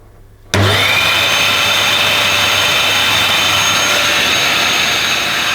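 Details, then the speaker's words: Dyson DC21 Motorhead canister vacuum, bought damp and smelly, first power-up after unboxing: motor starts instantly and holds a steady high whine with even airflow rush, no rattle or grinding; sounds okay. "but I think that sounds okay personally that motor"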